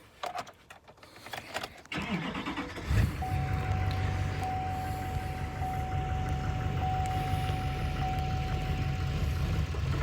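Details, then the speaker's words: 2014 Chevy 2500 Duramax with the EGR deleted, started with the EGR valve connector plugged back in: catches after cranking, then labours at a low, unsteady idle even with throttle, heavy smoke; the faulty EGR valve causes the rough running. "Not wanting to idle. I'm actually giving it fuel. Not really wanting to go that good."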